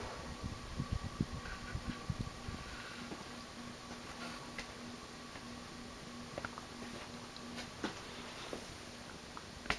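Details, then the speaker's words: 1984 Guibb GE Vent 107 cm (42-inch) direct-drive ceiling fan, made in Taiwan, running slow: steady low hum with faint higher whine and light ticks; bearings loud despite heavy oiling, audible motor hum, noisy bearings. "about the motor it's um it's kind of loud has a the bearings are loud and has an audable humming sound to it but it could have been worse"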